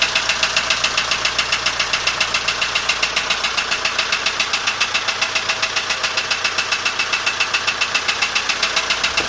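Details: ZMZ-514 Euro 2 turbo diesel with engine electronics disconnected, idling with a sharp, evenly spaced metallic knock over the clatter; others blamed connecting rods/pins, owner says the real cause was something else.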